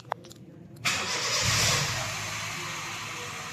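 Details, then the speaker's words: Honda Jazz with check engine light and unstable rpm, after scanner diagnosis and clearing fault codes; short crank, prompt catch and brief flare, then smooth even idle with check engine light off; normal start and idle. "untuk panel indikator semuanya mati ketika mesin menyala termasuk dari engine lem dan putaran mesin juga sekarang"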